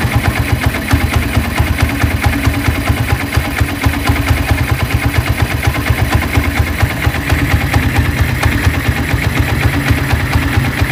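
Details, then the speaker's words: Honda Tiger motorcycle after rebuild, smoking on cold start and lacking power: busy single-cylinder idle with sharp rapid clicking on every beat from the head; mechanic says it resembles scored piston or piston slap, unconfirmed. "Oke jadi ngebulnya seperti itu dan bisa kita dengarkan bahwa tadi di bagian kop sini itu terjadi bunyi kasar kemlitik dan ada bunyi terklik seperti itu"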